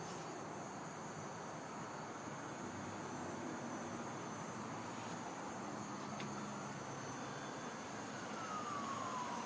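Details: Utility-pole power line transformer outside a condo at night in March 2012: a thin, steady high-pitched screech over faint outdoor hiss, with a falling whistle near the end, recurring for over a year; cause unknown.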